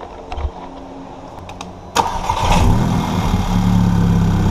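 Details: VW GTI Stage 2 cranks into a loud, coarse, raspy lawnmower-like run; supplied gasket totally failed a week after aftermarket downpipe install, causing a massive exhaust leak; to be replaced with an OEM gasket.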